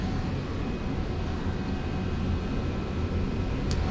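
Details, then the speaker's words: Johnson Controls water-source heat pump on R-410A, locked out and not cooling, system set to cooling: steady, even low rumble of the evaporator fan with no ticking or scraping while the compressor stays off; the evaporator fan is running normally. "okay Christian put the system on cooling I hear the fan running that's going to be our evaporator"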